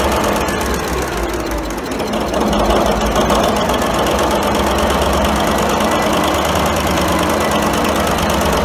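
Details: 1942 Cleveland 8-268A inline 8-cylinder two-stroke Roots-supercharged diesel generator engine, USS Stewart engine room, first start after 72 years idle; settles into a steady rapid chuff about four beats a second with deep rumble; normal running.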